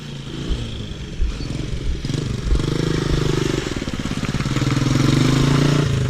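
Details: 2008 Honda CG 125 single-cylinder motorcycle pulling in fifth gear: humming tone rising over exhaust beat as speed rises, noise only in fifth; worn fifth gear.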